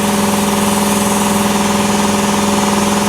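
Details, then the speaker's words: 80-gallon Cobalt air compressor in a vented enclosure, one insulation layer on the side, none in the roof. Loud steady electric pump hum with an even, quick pulse, no rattles. Running normally; still loud despite insulation. "so is it worth it i don't know i mean it's going to be loud regardless"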